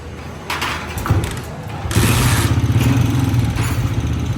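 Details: Old-model Honda CG 125 single-cylinder catches and settles into a loud, uneven top-end clatter; cam gear and connecting rod are ruled out, and the noise points to a worn rocker plate, fixed with tappet adjustment rather than a rebuild.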